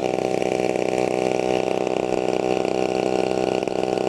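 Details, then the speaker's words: TU 26 two-stroke engine on a converted RC trainer plane (186 cm span), just started and warming up before maiden flight: steady, even high-pitched buzz, no misses or sputter; normal warm-up idle. "Oke, teman-teman. Kita akan memanaskan mesinnya karena baru saja dinyalakan, ya."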